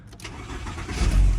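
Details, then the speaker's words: Mk3 VW Golf starting after sitting overnight with moisture inside: a short crank, then it fires on the first try into a smooth rumble with no hesitation. "There you go, first try, no hesitation. Perfect."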